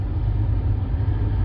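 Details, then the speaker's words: 2009 Buick LaCrosse blower motor commanded on via Xtool D8 scan tool active test, key on; even, steady low rush of air with no rattle, tick or squeal; blower motor running normally. "we're gonna go ahead and hit blower motor this should be something that you should be able to hear i think we're going to turn it on hopefully you can hear that"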